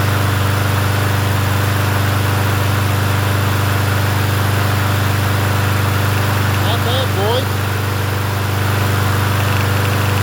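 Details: Yard Machines 21-inch push mower, 163cc engine, in cool 50s weather: smooth, constant drone at steady speed with no surging or stumbling; runs as it should.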